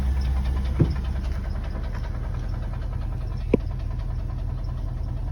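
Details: 1995 Dodge Ram 2500 HD 5.9L gasoline at idle: low uneven rumble with faint irregular knock about three to four a second; owner suspects piston slap, not confirmed.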